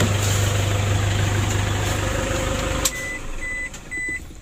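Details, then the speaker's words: Toyota Innova diesel that was hard to start, knocking and down on power; turbo also leaking. After repair it starts easily even cold and settles into a steady, smooth idle with no knocks or misses, a normal idle. "alhamdulillah untuk hidupnya sudah mudah teman-teman ya tadi juga di saat mesin dingin kita starter tidak sulit mudah"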